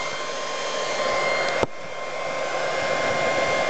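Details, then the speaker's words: Dell server power supply powering an RC charger, single big fan blowing out the back: loud steady airy roar with a fixed high whistle, no rubbing or ticking; normal but very loud PSU fan noise. "So now set it aside and plug in the big Dell which is much much louder. Uh it blows out the back end also. But this one big fan even if you you know Yeah. You can't do anything to block it. It's very very loud."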